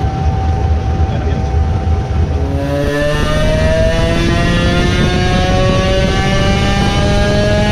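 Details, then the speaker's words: Modified moped two-stroke with a ported block, ignition advance reduced from 24 to 22 degrees. The note climbs smoothly and quickly to high revs without stumbling; it sounded like it revved and pulled better at the top end with the timing backed off. "well there is a crankshaft spinning in a hurry..."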